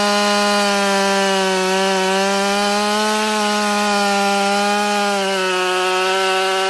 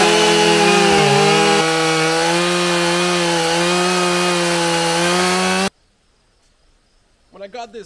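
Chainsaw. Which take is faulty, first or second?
first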